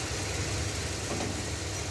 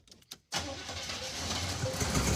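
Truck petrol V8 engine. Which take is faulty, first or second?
second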